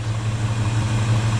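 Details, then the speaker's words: Ford 5.4 V8 truck after major maintenance, check engine light on, vacuum lines believed fine: deep even low rumble with steady beat, no misses or stumbles; smooth normal idle, computer scan of the check engine light planned next. "she's smooth now but I'm thinking all the vacuum lines are fine I'm thinking I'll hook up the computer see what the check engine light's all about"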